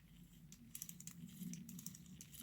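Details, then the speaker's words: Lionel 221 locomotive motor during restoration, armature turned by hand: light, crisp ticks in quick uneven bursts; clean brushes springing over the armature/commutator gaps as they should. "That's the sound of nice clean brushes springing over the armature gaps."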